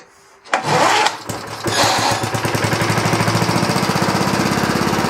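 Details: 1960s Roof push mower: pull start, catches and runs with uneven, pulsing, hunting beat instead of smooth drone; owner suspects running too rich, unconfirmed.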